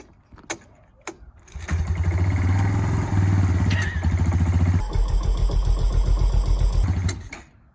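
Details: 1989 Kawasaki Bayou 220 ATV, unstarted for over 4 years, air filter removed, starting fluid used, gas and choke on: a few clicks, a short crank, then it catches and settles into a steady, even single-cylinder putter with no misses; a normal start and idle.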